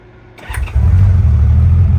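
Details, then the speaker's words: 1989 Honda Goldwing restarted after carb sync: quick crank, catches cleanly and settles to an even idle; on a rev the RPM drops back promptly rather than hanging, so no carb sync issue. "So there's that, and then you give it a rev. If your RPM stay up and then take a while to come back down, that's going to be a problem. That means you have a carb sync issue, but we do not have that problem."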